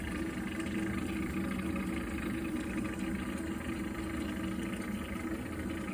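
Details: Viessmann Vitodens 100-W B1KF-19 boiler heating water: a steady low droning rumble throughout with a faint tonal hum on top, an abnormal noise whose cause is unknown.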